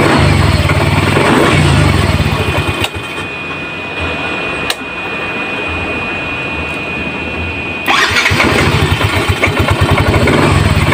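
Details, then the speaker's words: Yamaha Mio Z 125 scooter, after reinstalling the starter motor (dynamo starter) that was totally dead: starter spins briefly and the engine fires promptly, settling to a steady, even idle with no starter grinding; electric start working again. "Teman-teman. Jadi, starternya atau dino starternya sudah hidup kembali, ya."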